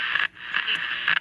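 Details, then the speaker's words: Philco Transitone vacuum-tube radio, powered up with correct pilot lamp: scratchy static crackling in bursts as the tuning dial turns; small metal shavings between the tuning capacitor plates causing a short. "it'll get between those tuning condenser plates and that'll cause a basically a shorting problem"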